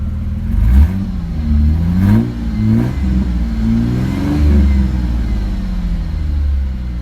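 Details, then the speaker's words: 2004 Mustang convertible V6 with manual gearbox and no stored codes revs and settles smoothly, with no ticking or knocking, as lifters quiet down; the exhaust may have been modified. "i don't know if they did something to the exhaust on this but it sounds uh it sounds pretty good"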